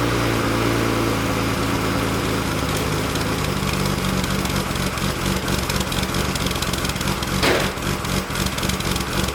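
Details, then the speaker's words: Built Nissan RB26 in an R32 GTR (fully ported/polished head, 260 Tomei cams), somewhat warmed up, quiet Nismo exhaust: choppy loping idle with a brief rev; cam lope sounds rotary-like in person. Normal lumpy cam idle. "the cam isn't picked up that much but when I walk around the car you could hear people say it literally sounds like a rotary"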